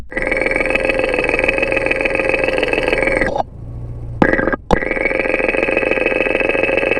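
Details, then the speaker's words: Porsche 944 at idle after an oil and filter change, scanned stethoscope-style across the camshaft housing: an even, fast lifter tick across all valves over a steady hum; lifter two is now less distinct, considered normal. "when scanning across the camshaft housing now the lifter sound is pretty evenly ticking away across all the valves"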